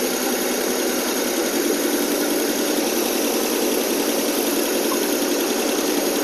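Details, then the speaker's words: AMC 287 V8 in a Rambler after carburetor cleaning, intake gasket and exhaust leak repair: steady fast idle around 1200-1300 rpm on cold choke, smooth exhaust note with no leak ticking or puffing. "they okay we're about 12200 fast idle now actually about 13 might have adjust that a little bit later it sound so much better already no exhaust leak Eng it sounds great"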